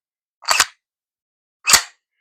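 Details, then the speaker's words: P320/M17 pistol, racked with about 1 mm pressure on the trigger: two sharp metallic snaps, slide closing then crisp click; striker falls as the slide returns forward. "If you listen very carefully, when I rack this thing back, you will hear the hammer fall as the slide goes back forward."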